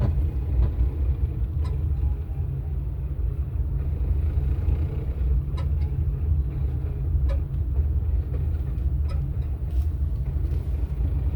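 A steady, deep engine rumble with no clear knock or whine on top; there is an unexplained noise, but no cause shows.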